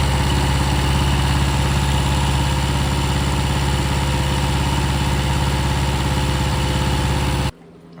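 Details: Restored 6.5 kW gas Kohler genset after water pump repair with new homemade gasket: steady even low thrum, no knocks or misses, cuts off cleanly; running and cooling as it should.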